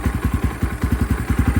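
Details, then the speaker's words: 2022 X-Pro Templar 250cc single-cylinder, 5-speed, after Nibbi PE30mm carburetor install: fast idle with uneven beats, speed hunting between about 1000 and 1500 rpm instead of settling; idle hunting. "yeah it looks like it's bouncing back and forth between I don't know if that's I mean it goes from one what is it between one and 1500"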